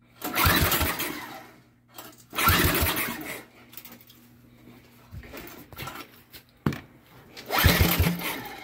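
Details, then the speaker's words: Engine fitted to a go-kart, fresh petrol: catches quickly in a few strong bursts, runs briefly and restarts easily; good compression. "fucker's got some good compression to it it's got some good sucky sucky power"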